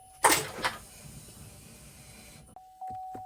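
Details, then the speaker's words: Salvage 2024 Buick Enclave Avenir being rebuilt, fuel system primed, key on with foot on brake. No cranking, only faint dry clicks over a steady chime with dash flashing; battery measured 11.74 V, too low to crank. "it's not even cranking or anything everything's just flashing yeah I'm getting nothing"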